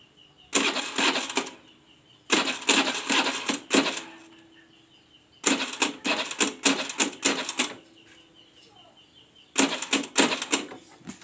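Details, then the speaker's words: Honda Beat carburetted scooter whose battery keeps going flat: short ratchety clicking and whirring bursts die away without the engine catching, as the weak battery can't crank it. Start was tried with the brake held. The battery, dynamo or relay is suspected; a faulty kiprok (regulator) with fluctuating charging voltage was found. "tidak mampu ya teman-teman Ini pasti ada salah satu salah satu apa yang ada di dalam motor ini ada yang gak normal entah akinya ya entah dinamonya entah relaynya"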